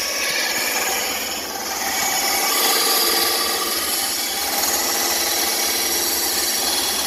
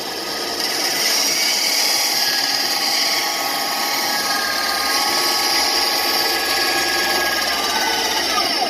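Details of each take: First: New bandsaw still being dialed in, cutting along a curved line after relief cuts: steady, even rasping cut with no bogging or labouring, blade running freely; healthy saw cutting normally. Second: Bandsaw forced round a tight curve without relief cuts: steady high saw hiss with rough scraping as the blade binds and the motor labours.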